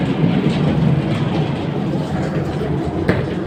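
Heavy steady rumble with a rough, uneven clatter running through it; that points to a worn drive-end bearing on the blower.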